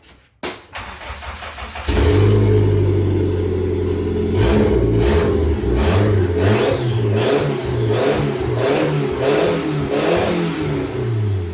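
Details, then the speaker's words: Engine with newly installed cheap T3/T4 .48 A/R 50-trim turbo, oil-primed, first start without exhaust bolted up: sharp revs each trailed by a rising whistle that falls away as revs drop; normal turbo spool. "all right so turbo spins sounds pretty good I think I can hear the spooly noises"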